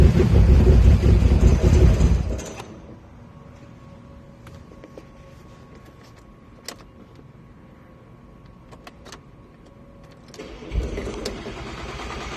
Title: rough idle/start 3.2 a4 b7